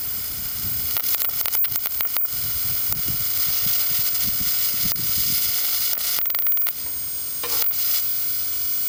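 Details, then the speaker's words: RCA CTC16 round-tube vintage TV with substitute flyback, after damper replacement: steady high hiss with crackly spits as boost reaches about 600 volts; corona sizzle from the flyback high-voltage side, a smell noticed, close to arcing. "And I hear sizzling. .600 volts. Ooh, I smell it too. That thing's gonna getting ready to pop off an arc."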